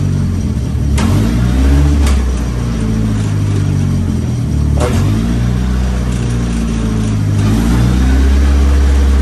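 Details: Nissan S15 running on the lift after a new gearbox was fitted, shifted up through first, second and third: the engine holds steady with clean pitch steps and no grinding or clunks; it shifts fine.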